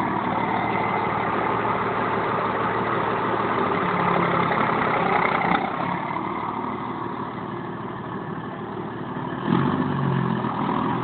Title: bad injector?